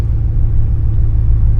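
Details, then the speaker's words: 2002 Ford F-150 after replacing two universal joints for a whine and vibration, cruising a dirt road: steady low road rumble, no squeak or chirp from the driveline. "I haven't heard no squeaking or squawking or anything."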